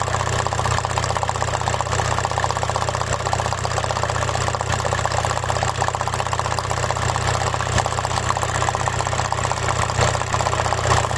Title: P1666, P0301 cylinder misfire, electrical error, engine rough idle shaking/ rateu tremura la ralanti